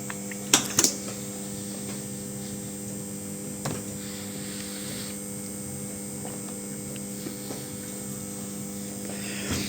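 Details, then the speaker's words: Aprilia RS660 during an ECU remap, about 9% done: constant low electrical buzz and steady hum with a few handling clicks from the charger maintaining power to the ECU and bike, normal. "Yeah, the loud buzzing sound you can hear, I don't know if you can hear it, it's the charger just maintaining power to the DCU and the bike."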